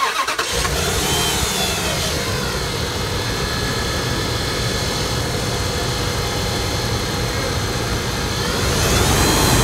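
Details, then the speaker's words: 2004 Dodge Ram 1500 idling: constant rough whirring and rumble over the firing beat from belt-driven accessories, vibration felt at the alternator, which doesn't spin freely with belt off; suspected worn alternator bearing. "I believe it's the alternator. I can hear it coming from the alternator. I can feel it. The vibration's not good."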